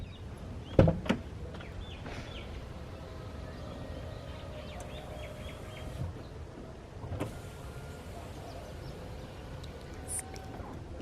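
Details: BMW E46 3 Series door after replacing the power window motor: a couple of switch clicks, then a smooth, even motor hum running the glass up and down without grinding or hesitation. The window works normally.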